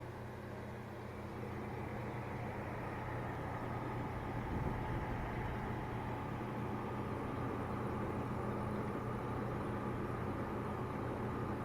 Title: corsair hx1000i buzzing noise